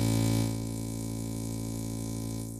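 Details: Opel Astra H with a CD30 MP3 head unit: a steady low electrical hum with a buzzy edge comes through the loudspeakers, its level dropping slightly partway; cause unknown.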